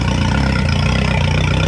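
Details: 2011 Yamaha T50 outboard after replacing the failed high-pressure fuel pump (pump had only clicked, no whine): steady even low idle rumble, no misses or surging; sounds healthy.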